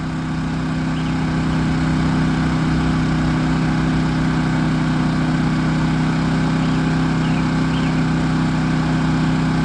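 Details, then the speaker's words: Champion 3400 W dual fuel generator for RV use at full throttle, economy mode off, app reading about 64–65 dB: steady even drone with constant low hum, no knocks or surges; normal running. "And that's at full blast. That is without the economy mode on."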